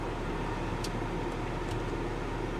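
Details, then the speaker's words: BMW xDrive35d diesel, bought sight unseen, first start: fired right up with check engine light on; steady smooth low diesel rumble at idle, no knocks or misses, runs smooth. "is that it just one light it runs so smooth"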